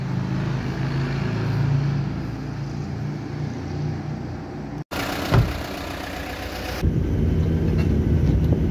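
Diesel clatters unevenly at idle, then cuts out abruptly before catching and rumbling again; it runs rough and wants to stall.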